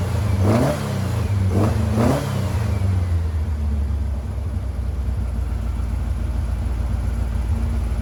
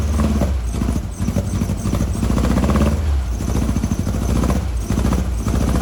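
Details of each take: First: 1956 VW Beetle flat-four with replacement 40mm IDF/HPMX carbs, one previously leaking fuel, linkage and adjustments still out: quick revs then steady even idle; normal running now on both carburetors and all four cylinders instead of two. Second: 1956 VW Bug flat-four with replacement 40mm IDF-style carbs, driver's-side carb adjustment screws disconnected so only the passenger-side carb feeds it: lumpy, uneven low chuff with a stumbling beat, running poorly on two cylinders.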